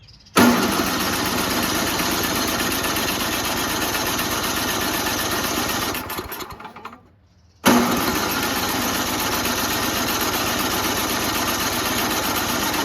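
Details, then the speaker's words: Noma/Murray 9 HP Tecumseh Snow King 27-inch two-stage snowblower after HIPA carburetor replacement and new spark plug: about six seconds of steady cranking, pause, cranking again, no firing despite ether and spark. Owner suspects low compression. "now isn't that strange huh usually you have fuel we've shot it in there intake manifold we have spark right it's not igniting because no compression right that's usually the case"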